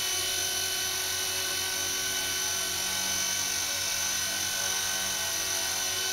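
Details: Blade mCP X micro helicopter after Z8RC boom truss mod: high, steady buzzing whine from the small rotor and motor, even with no wobble or beat; smooth hover, previously vibrated badly.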